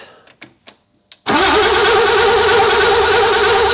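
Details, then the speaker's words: BMW E30 cabriolet six-cylinder, first start after engine reinstall with reconditioned 1.4 kW starter: starter spins steadily for over two seconds with no firing, fuel system completely empty, needed long cranking before fuel arrived; cranking no start. "super on a de l'essence donc là en fait le secure était vraiment vide il a vraiment fallu insister sur le démarreur"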